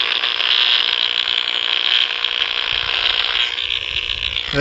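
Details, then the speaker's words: Intermittent power line arcing noise, comes and goes; owner suspects a bad or loose ground (or lightning arrestor); shaking the ground wire briefly stopped it, then it resumed. Harsh, raspy high buzz that holds steady, then thins and cuts off. "a lot of people's been asking me where my lime noise is coming from right there it's coming from right there this is that it's coming from right there i think it's the ground an issue it's either it's either a ground an issue it comes and goes"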